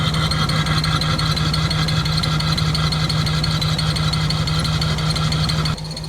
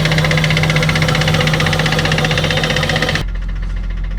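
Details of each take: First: Abandoned non-turbo Nissan Skyline R34 petrol engine with pod filter, injector cleaner in the tank, idling unevenly with an irregular, lumpy pulse before idle air adjustment; idle air set too low so it struggles. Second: Abandoned Nissan R34 Skyline, 149,000 km, after fuel system cleaning and repairs: quick, even pulsing idle holding steady with no exhaust popping or stumbles; smooth, healthy tickover.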